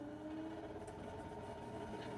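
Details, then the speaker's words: Camper furnace blower in -16°C cold, breaker repeatedly tripping, fan suspected of encountering too much resistance: steady whirring hum with faint tonal drone, blower noisier than normal, tends to get louder then shut off; cause unconfirmed. "noisy as you can hear here but yay um it came back on"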